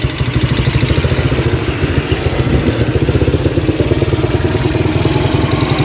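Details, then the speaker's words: Yamaha Vega RR single that often stalls, previously disassembled without a cure; fast, even metallic ticking on the idle beat, loudest on the right side, metal-on-metal, sometimes fading; suspected worn connecting rod. "ini terkadang hilang ya kempleteknya ini terkadang jelas banget bahwa dia itu besi ketemu besi ya"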